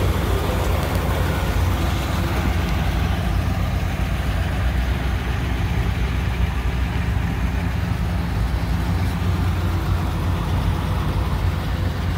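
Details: 1959 Chevrolet Apache 3100 step-side pickup, first run in over 20 years (about 25 years sitting) with a fuel leak noted: deep, steady low V8 rumble at an even pace, no knocks or misfires; it runs smoothly again.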